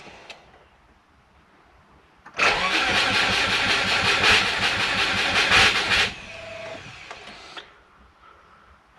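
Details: Turbo Subaru with a DIY exhaust manifold, just sealed up: the starter spins fast and evenly for about four seconds and the engine never fires. The owner thinks it is flooded with a low battery.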